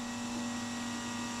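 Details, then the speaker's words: Cammed 5.9 Magnum in a Dodge D150 with newly fitted Holley EFI, first start-up, oil pressure already checked: steady low electric hum at one even pitch, fuel pump priming normally at key-on. "but yeah so go ahead and set it hear my fuel pump kicking"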